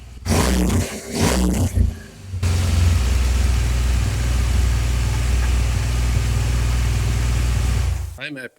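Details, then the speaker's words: Rebuilt 2014 BMW R1200GS twin, start after work to cure a backfire: after a brief rev it settles to a steady, even low thump with no popping, backfire gone; it is smoking and the ABS and triangle lights are blinking. "So far, it sounds really good. It actually sounds really, really good. There's not an there's not a strange sound anymore. It's almost as if it's softer as well."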